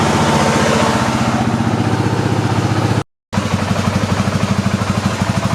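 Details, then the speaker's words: Arctic Cat 500 ATV after temperature sensor replacement, warmed up: even single-cylinder idle thump with constant radiator fan hum; fan now running, repair successful. "Okay, I heated up. The fan is running. I don't know if you can see it or hear it, but it is running."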